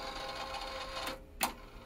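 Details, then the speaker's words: Yamaha KX-630 three-head silver cassette deck, serviced with belt replaced: loud, rough whirring from the tape transport during rewind/spooling, then a sharp clunk as it stops; noisy rewind, cause not yet found, owner plans to address it. "we'll see if we can solve that but yeah it's very loud we see i'm gonna i'll have to probably address that"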